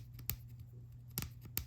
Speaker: catching on that lip. It's not even close to being a good transition.